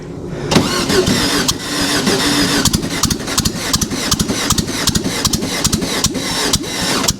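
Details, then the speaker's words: Dune buggy first start after clearing a plugged fuel line: rough uneven cranking into a lumpy start with firing gaps, one side not picking up; coil wire had fallen off, losing spark. "okay we're getting this side but we're not picking up anything on that side"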